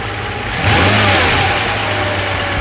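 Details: 1995 Mercedes S600 V12 after throttle actuator and E-gas module repair: smooth idle, then a quick clean throttle blip that settles back; prompt response, no stumble, both throttles working.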